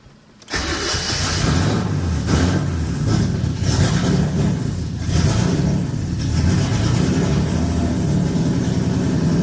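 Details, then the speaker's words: Nissan 240SX with turbo RB engine swap on NissanTune, first start: engine cranks and catches, then runs lumpy with surging revs and dies without foot on throttle; TPS reading 0.72 V instead of 0.5 V, owner suspects MAF sensor. "I have to keep it running or I have to keep my foot on the gas otherwise it'll die out"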